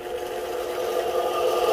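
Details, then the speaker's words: Kite line winding machine motor, repaired and fitted with a power reducer, whirring steadily at even speed with no knocks or grinding; normal running. "deixa ele ir embora deu um minuto parou de enrolar visão galera Pô cara isso aqui é maravilha irmão"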